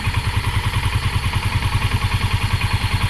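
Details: Yamaha Sniper 150 single with a hard-start problem (broken piston ring in title), just retimed, tuned up and cleaned, not yet warmed: fast, even putter at idle with steady beats and no misses; now starts and holds idle.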